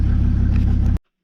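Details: Mercedes W202 C250TD five-cylinder diesel, over 300,000 km, rebuilt injection pump, just started after a week: a strong deep rumble with a steady, even firing beat for about a second, then it cuts off cleanly. Normal revving; the engine runs fine.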